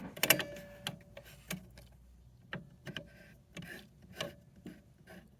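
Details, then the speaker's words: Captain Kid electromechanical pinball shooter: irregular clicks with thin squeaks as score reels step; dry score reel switch blades on the disc squeaking. "so I've isolated the squeaking noise from these score rails it is basically these blades there those switch blades there right on that disc so what they're just dry"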